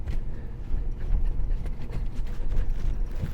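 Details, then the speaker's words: 2009 Ford Ranger manual transmission, very hard to get into reverse or first, worsening over three weeks: deep, uneven thuds and bangs as the gear is forced in. Cause not yet found; clutch or hydraulic slave suspected. "you can hear it kind of banging every time I put it back big thud"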